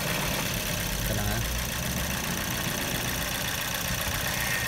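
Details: Toyota Yaris with an uneven, lumpy idle and an irregular stumble in the engine beat, typical of a misfiring cylinder; cause suspected, not confirmed.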